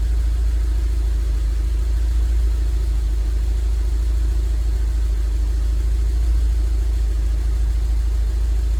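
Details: 2002 Rover 75 / MG ZT, long-sitting, just started, slightly smoky exhaust; it gets fuel but misses clearly. Heavy low idle stumbling about once a second: misfire on one cylinder, possibly a head gasket, per the owner's suspicion.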